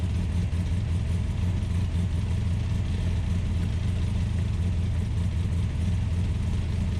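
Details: Ultima GTR with American V8, started on a jumper pack, warming up: deep burble held steady at a noticeably raised speed with no dip or settling; idling high; temperature gauge read only about 60 degrees.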